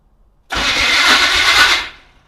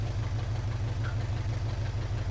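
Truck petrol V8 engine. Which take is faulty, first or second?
first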